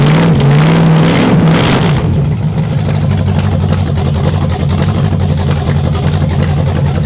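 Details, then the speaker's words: Chevy 350 small-block V8 on a test rack, first fire-up with fuel in the float bowl, timing set by ear: a couple of crisp revs, then a deep, even, steady idle with no knocks or misses; healthy running, minor gas leak noted. "That thing ran good. I had that timing set damn near perfect on the fly, so I'm happy with that. That sounded healthy."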